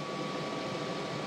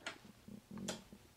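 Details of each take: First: Montek X1200 prototype power station (1200 Wh LiFePO4, 2000 W inverter) solar charging near 1200 W max at about 110–120 V input: loud steady fan rush with a thin whine at one pitch; cooling fan really screaming. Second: Montek X1200 solar generator, still wet after being washed down, AC inverter switched on: a few crisp, sharp clicks as the inverter relay engages normally.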